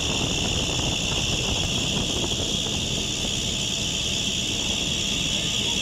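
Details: Sweet gas cooler in oil and gas industry: steady high-pitched squeal over fan roar without changing; abnormal fan drive belt noise.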